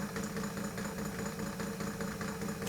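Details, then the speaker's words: 1940s Peirce Model 55B wire recorder with rock-hard rubber drive wheels. The transport runs with a rough bump-bump rumble, flutter and rattle that soft rubber wouldn't make: noisy transport from hardened rubber wheels. "soft rubber on those wheels that wouldn't be making that bump bump bump Noise"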